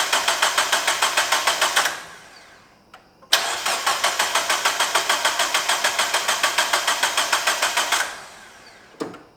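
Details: 2001 Mazda Miata after timing belt replacement, compression readings around 126–155 psi; engine cranks at about three even pulses a second in two attempts but never catches. Owner suspects pulley installed wrong; cause unconfirmed.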